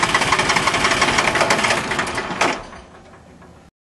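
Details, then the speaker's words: Small Yanmar diesel with air in the injector lines after a fuel filter change without bleeding; three injector lines cracked and bled, then cranked: rapid even cranking near three beats a second for about two and a half seconds, never catches, winds down; owner suspects more bleeding needed. "all right start a rest for a couple seconds here I don't know I think we were definitely closer there but maybe not quite close enough have a feeling I should have bled the others a little bit more"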